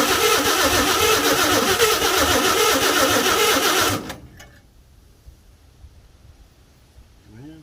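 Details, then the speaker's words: 1952 Chevy with new Autolite plugs, carburetor filter off, gas poured down the carburetor: four seconds of quick, very even cranking, about four turns a second, with no firing. It cranks but won't start; the owner suspects low compression from seized rings. "i think i probably have low compression from the rings being seized up a little bit if i can get this thing running and get it hot i think them rings will come right back around"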